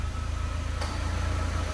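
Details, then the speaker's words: Ford EcoSport at idle with AC switched on: brief click and slight rise in noise as the compressor engages normally. The radiator fan comes on within seconds. "acionou o compressor que eu vi aqui já já a qualquer momento o ventilador entra já entrou"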